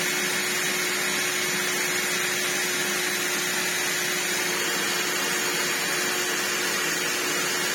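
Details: Brand new, never-used Vax New Wave HF1400 vacuum after a fix to its broken motor: steady high motor whine, constant pitch, even airflow rush, no grumble or catching; runs normally.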